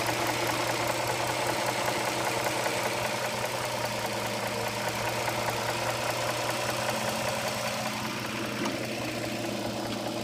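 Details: 2007 Dodge Charger 3.5 V6 at idle, oil level correct: a light, fairly even top-end tapping about two to three times a second over the engine hum; owner suspects lifters or rocker arms, cause unknown.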